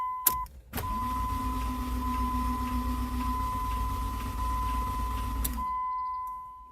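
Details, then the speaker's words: 2001 Dodge Neon after a new timing belt tensioner and motor mounts were fitted: it cranks fast and evenly with a faint tick but won't fire and shows no codes; the tensioner failed and the belt bent all 16 valves, leaving no compression. "it's cranking there's a little tick in there but it's not actually turning over scanner says no codes"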